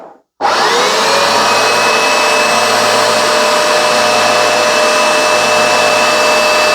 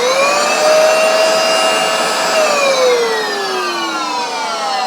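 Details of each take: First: Vax Dual Power W86-DP-b carpet washer after its drive belt was replaced: steady, even motor whine at constant pitch with no slapping or slipping, brushes turning, then a smooth wind-down; running normally. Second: Vax Dual Power W86-DP-b carpet washer switched on for a demonstration: the motor whines freely, pitch easing up then sagging, while the brush rollers don't turn. The owner suspects the drive belt went crispy and snapped: broken drive belt.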